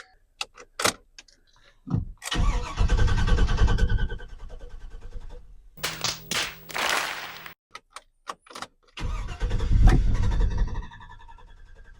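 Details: 2010 Chevy 2500HD 6.0L gas after camshaft position sensor replacement; several bursts of steady, even starter churning that never catches, cranking without firing as before the repair.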